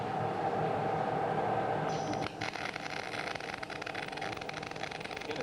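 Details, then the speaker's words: MIG welding carbon steel with wire feed around 10 m/min and raised voltage: after a steady hum comes a harsh, uneven short-circuit crackle, with globules forming on the wire end and crossing in free transfer, causing heavy spatter. "Okay, so you could still hear that short circuiting, the crackling taking place, but it was also the globules were forming on the end of the wire and coming across in free transfer. This is creating this spatter."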